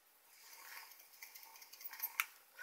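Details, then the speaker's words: Innokin Cool Fire 4 vape mod shaken by hand: light scattered plastic clicking with each shake, no motor; loose fire and adjust buttons rattling in their housing, less when a finger rests on a button. "but you know what it's not doesn't rattle that bad it seems to Rattle worse like that you know what it is probably because when you're using it you got your finger on one of the buttons so now that one's not rattling"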